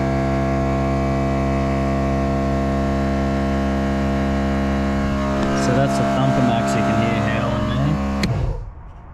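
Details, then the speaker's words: Twin compressor on a Nissan Patrol 12V build, running unloaded: steady droning howl at even pitch for several seconds, then winds down; up to 40 amps under load; normal and healthy. "Not under load, so it can draw up to 40 amps under load."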